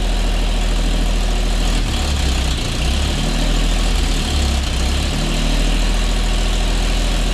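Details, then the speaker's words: Custom 1950 Chevy Styleline after sitting over five years: the V8 idles low and uneven, its beat loping and dipping every second or so. A cut vacuum line plug was found and is suspected of making the rough running harder to dial in. "Now I got a different problem. I definitely have a cut in one of my vacuum line plugs."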